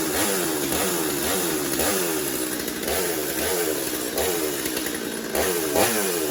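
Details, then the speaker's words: Stihl MS250 chainsaw test-run after drum sprocket and air filter work, good compression: raspy two-stroke buzz holding steady high speed with slight surges, starting and running cleanly, normal running. "Should be enough to get it started and make sure it's running. Good compression. There we go."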